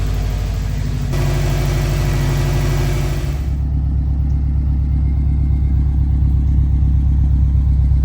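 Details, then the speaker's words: Subaru with heavy oil burning, blue smoke and blowby, just after PCV valve replacement, on a 46°F morning: low steady cold idle settling to an even, smooth burble with normal condensation exhaust; sounds normal. "okay so far this is just idling in the morning warming her up it's about 46° outside so we have normal you know condensation or normal uh exhaust output right now so that's normal everything seems normal so far"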